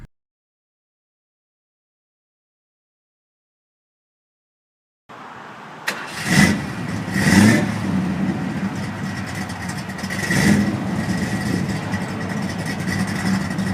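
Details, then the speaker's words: 2000 Ford Mustang 3.8 L five-speed after throttle body cleaning: engine starts and settles into a steady idle with clean revs, no hunting or stalling as before; normal idle. "all right so we're in the car and it's running we're idling much better got a nice steady idle it's not hunting around"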